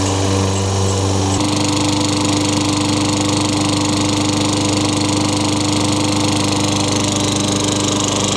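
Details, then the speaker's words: Craftsman 22-inch mower, Tecumseh 6 hp engine, curb find with wet air filter and possible water in gas, after new RJ19 plug: catches and settles into steady even run, no surging, smoke or oil smell; normal running. "sounds pretty good for being thrown away I think this engines gonna be alright"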